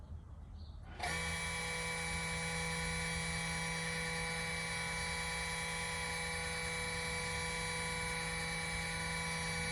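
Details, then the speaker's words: 2018 Jaguar XE S 3.0 with ZF8 in neutral, after the rear-brake maintenance-mode procedure: a click, then a steady, even electric motor whine as the rear park brake caliper motors run normally. "Okay, just to doubly confirm all that, let's just try and catch the noises that you should really be hearing when this actually happens."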